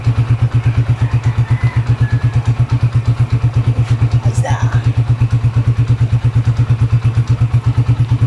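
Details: Honda TMX 155 single after overhaul with new piston and connecting rod, breaking in: even, regular thumping about seven beats a second, no knocks or ticks; smooth, healthy idle.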